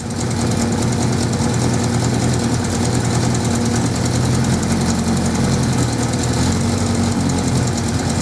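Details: 1979 Suzuki GS550E four-cylinder, first start after about 5 years laid up on old fuel: steady lumpy idle with the odd soft exhaust pop. Carbs not blocked, but it is slightly popping and could do with a tune-up.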